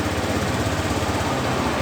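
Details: Honda Beat FI scooter that arrived completely dead, running after the dead CDI/ECU was swapped for a good unit: quick, even putter of the small single-cylinder engine holding a steady idle with no misses or knocks; runs normally.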